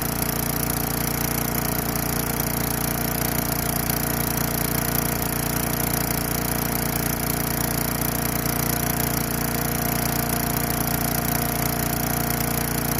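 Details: Craftsman Eager 1 4 hp chipper vac, small single-cylinder engine on a little fresh gas after priming, carburetor possibly needing cleaning: holds a steady, even beat at constant speed with no stumbling or surging; normal running.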